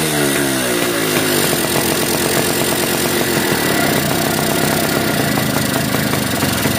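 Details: Yamaha V80 two-stroke motorcycle after fixing a compression leak at the cylinder head with a new gasket: it revs up fast, then holds a crisp, even buzz with no popping or chuffing. The leak is gone and it runs normally.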